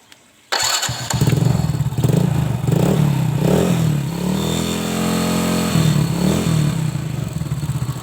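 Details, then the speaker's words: Old Honda Supra X motorcycle with a tappet clatter from the cylinder head, after valve clearance adjustment: it revs cleanly with the clatter mostly gone but a faint tick remains, possibly from a slightly worn valve tip or rocker arm. "Ini sudah tidak seperti tadi ya sebelum penyetelan klep. walaupun masih ada sedikit ya,"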